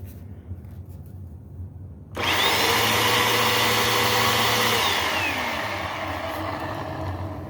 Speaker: Yeah, that's brush roll bearings. Yeah, so I could hear, you might not be able to hear, but the motor seemed to be in good shape up here, and most of the noise was making a racket from here and here.